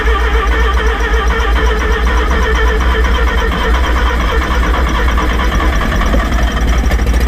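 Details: Rotary engine in a van, first start after rebuild, now starting on the key; loud, steady low drone with occasional throttle blips, firing and running smoothly; normal running.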